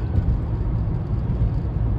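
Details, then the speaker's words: 2015 Chevy Malibu after replacing a howling sealed-bearing wheel hub, driving at 60 mph: only smooth, even road rumble with no howl or drone rising with speed; hub bearing sounds healthy, fixed. "yeah we got her up to 60. sounds pretty good I'd say we got it fixed"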